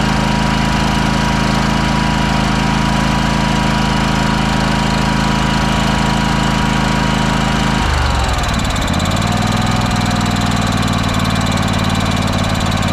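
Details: Craftsman DYS4500 riding mower revived after sitting for years: small engine holds a steady, even hum, then settles smoothly to a lower speed with no misses or knocks; normal running.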